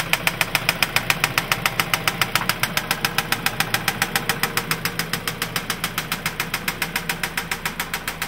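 A sharp, steady knock repeats evenly a few times per second over the idle, pointing to a knocking fault somewhere inside the engine.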